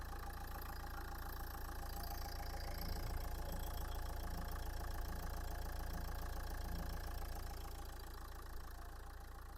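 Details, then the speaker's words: 2011 Nissan Qashqai 1.5 dCi K9K diesel, 222,000 km confirmed mileage: steady, even idle with a smooth low rumble, quiet, no knocks or misses; engine healthy. "Капотний простір в оригінальному стані. Мотор працює тихо рівнобно."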